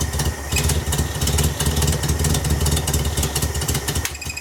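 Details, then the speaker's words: VW Beetle with new Pertronix distributor and coil, timing believed right near 7.5: uneven lumpy idle with irregular beat; owner suspects carburetor adjustment, unsure of basic settings; rough running. "I think it's a carburetor adjustment. And I don't know what the basic settings are."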